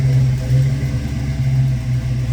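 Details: 1966 Ford Mustang V8 with fuel injection, just after a cold start: deep, steady burble with an even low pulse, nothing knocking or ticking. Normal cold idle.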